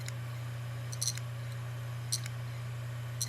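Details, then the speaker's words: Brand-new hard drive bought on eBay, powered on: faint steady hum with sharp clicks about once a second, some in close pairs; drive clicks, is not detected and is dead on arrival. "on allume à et déconne c'est bizarre pour un disque dur neuf"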